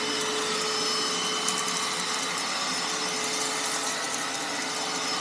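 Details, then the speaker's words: Hoover Panasonic MC-E468 upright vacuum after beater bar belt refit, belt slightly loose: steady high motor whir with the brush roll spinning evenly and swishing on the floor, no grinding or belt slip; beater bar engaged and running normally. "whoa the beater bar is engaged they can hear it flip it back let's go"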